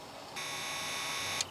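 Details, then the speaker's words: 2008 GMC Sierra 1500 4.8 with intermittent no-start, fuel pump fed direct power and ground: high, even buzzing whine starts, holds about a second, then stops; pump runs, continuity through pump good. "that's continuity through the pump all right so that's a good sign I hear the pump turning on"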